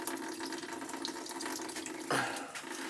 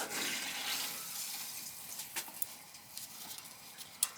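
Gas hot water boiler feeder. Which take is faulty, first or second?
first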